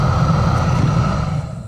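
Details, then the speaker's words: 2002 Chevrolet Trailblazer heater blower on speed 4 as the plug is shaken: fan whirs steadily then spins down and quits; the blower resistor plug is melted, to be replaced. "let go of it quit so it's in this plug and look right there yeah it's melded melted in a couple places"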